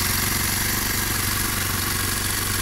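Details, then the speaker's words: Kawasaki KLX 230 single-cylinder at rest; fast, even thumping idle, said to be 1800 rpm but owner thinks over 2000 rpm, well above normal; idle speed too high, engine also runs very hot. "Dan idle-nya atau langsamnya ini tinggi banget RPM-nya. Teman saya bilang sih 1800, tapi saya nggak yakin, ini sekitar 2000 RPM lebih mungkin ya. Kencang banget langsamnya."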